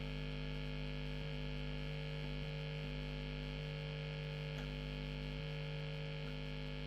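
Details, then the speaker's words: Late-1980s Hiwatt 100R Trinity tube guitar amp with a new guitar lead in: steady low buzzy hum at idle, unchanging, no playing; jack socket possibly not grounded, cause unknown. "almost like the Jack sock it's not grounded out I don't know"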